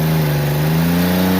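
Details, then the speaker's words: 1994 Ford Ranger 3.0 L V6, no transmission, run to destruction with nitrous and water in the intake: hard revving with a coarse metallic rattle climbing with revs, metal-on-metal connecting rod knock, blow-by increasing. "well that sounded metal on metal but we better be sure i'd hate to not be sure"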